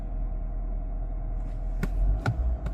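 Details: 2014 Audi Q3 2.0-liter after new alternator pulley and starter, hot day: low even idle with no knocks, misses or grinding, only a couple of light clicks; battery light off, charging fault called fixed.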